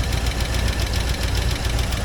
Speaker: You can see how bad it sounds. Sounds like shit. That picking's pretty bad though.